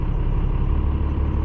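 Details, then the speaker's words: 3rd-gen Dodge truck with a swapped 12-valve Cummins diesel (P-pump, lift pump reused, overflow valve replaced), just started, not fully cold: deep diesel clatter whose idle rpm hunts up and down; cause unclear. "oh it's going up down not sure what it's doing it's going up and down in the rpms"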